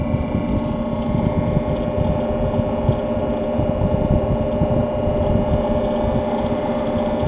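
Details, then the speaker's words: 1930s Grunow refrigerator with Carrene (dichloromethane) vacuum refrigerant, unrun for about two years, started on a test box drawing 2.79 amps; steady even hum, low motor drone and fan whir, no knocking; compressor running fine; owner suspects a rotary vane pump. "I'm going to turn it on and we're going to see if this compressor is going to run! She's running!"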